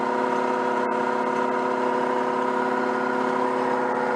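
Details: Peugeot 104 GLS on stands, engine running with front wheels turning: steady, even whining hum, occurring only with the right wheel, not the left; wheel bearing has no play, no binding or jerks, source unknown.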